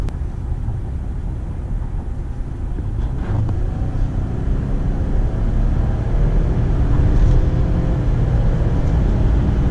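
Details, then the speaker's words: Brand-new 2018 Ford F-150 XLT 4x4, 3.5 L EcoBoost with 10-speed automatic, about 30 miles: deep steady roar building smoothly under full throttle, no turbo whistle or whine over road noise; strong, healthy pull and flawless shifts. "I'll have to say just driving the truck down the road power is just there whenever you need it it's there"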